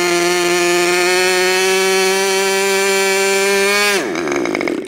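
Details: Freshly overhauled modified K&B .61 glow engine from CF Lee, test run after idle screw setting and restart: high, steady full-throttle scream held evenly for four seconds, then cut off and winding down; smooth and healthy.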